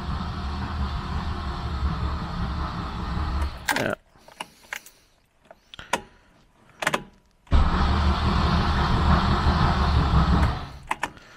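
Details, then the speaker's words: Wolseley 18/85 BMC 1800 Landcrab after sitting for years, cranking with spark plugs out: two bursts of brisk, even cranking with a pause between; the starter spins the engine freely and quickly. "so it definitely cranks over really well"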